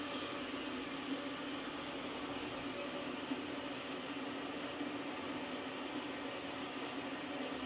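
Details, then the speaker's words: Bandsaw with coarser-pitch blade cutting 3-inch aluminium at about 250 surface feet per minute, feed pressure increased: steady even hiss, constant tone, no clunks from clogged teeth as with the earlier blade; cutting much faster, normal. "This one's cutting much faster, and so far no tooth clogs that I can tell."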